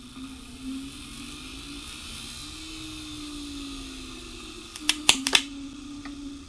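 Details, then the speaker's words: Small brushed DC motor revived on the bench: uneven low whir with wavering pitch, then a few sharp clicks; runs rough but works, from a loose, separated magnet, with brushes possibly welding to the brass. "it's not the happiest thing in the world but it actually does work that's pretty cool"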